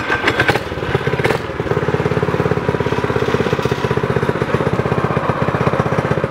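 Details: Homemade go-kart small single-cylinder engine, governor removed, upgraded intake, exhaust and bigger carb jet to fix lean sputtering, driving test laps: quick, even popping beat with clean throttle response, no sputter or stumble; fix worked.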